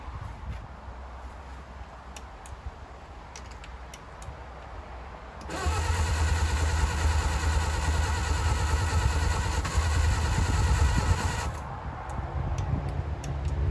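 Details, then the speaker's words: 1959 Reliant Regal three-wheeler, unrun over 20 years, throttle at idle, choke on, fuel trickled into carburettor: starter churns several seconds with low uneven chug as cylinders intermittently catch, never picks up to run. "Little fire. Okay, this could be it. She is close. So close."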